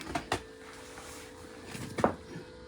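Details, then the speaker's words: Land Rover Defender TD5 diesel, engine off, mic in engine bay after replacing the leaking fuel regulator unit: a faint steady hum of the electric fuel pump priming and purging air, over handling clicks; normal fuel pump running. "you may be able to hear the fuel pump running in the background it certainly is"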